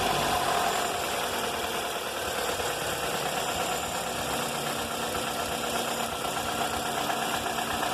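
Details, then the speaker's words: 2004 Toyota Corolla idling with an uneven rapid ticking knock of about three per second that rises and falls with throttle; it persists after a full engine rebuild (pistons, timing chain, tensioner, VVT, valves) and on 15W-30 or 15W-40 oil; source unknown. "esse barulho começou antes de fazer o motor fiz um motor do carro barulho contínuo pode ver que ele aumenta e diminui quando acelera"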